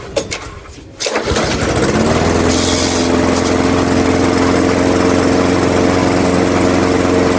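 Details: Craftsman 21-inch mower, 5.5 hp Honda GCV160, found with a dry tank; after a smoky first start it is run to warm the oil before an oil change: pulled, catches, settles to a steady even drone with no surging; healthy.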